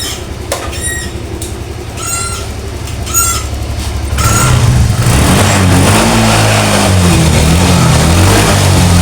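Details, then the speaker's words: Honda Vario 125 that stalled after washing with water in the combustion chamber, kick-started because the electric starter still fails, exhaust refitted: a few kicks with squeaky chirps, then it catches and runs steadily under light revs, blowing water from the exhaust. "Ini bukan ngebul Pak. Ini yang keluar dari knalpot saat kita gas itu air Pak."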